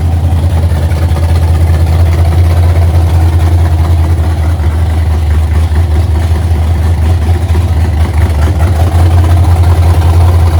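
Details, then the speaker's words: 1982 Holden WB ute, 355 stroker V8 with 280 solid flat-tappet cam, first run after six-year build, timing about 10°, no vacuum advance hooked up, warming up: deep, loping idle with uneven exhaust chop; lumpy cammed idle. "but yeah it's got a lumpy old idle it's got a big decent cam in it yeah a 280 solid cam for those who haven't tuned in before"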